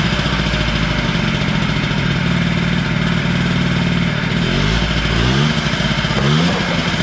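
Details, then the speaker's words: Honda Spree 50cc two-stroke scooter buzzes and revs up and down but sounds flat and weak on pulls; compression reads low, owner unsure if motor is blown, added premix to gas causing slight smoke; loss of power under load. "Starts and runs. It just, like I said, has no giddy up and go. Now the compression on it was reading low."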